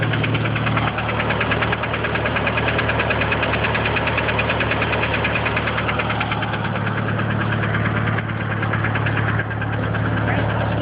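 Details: DSM engine at idle with a light, fast, fairly regular tick around three per second; owner unsure whether it is lifter tick or rod knock.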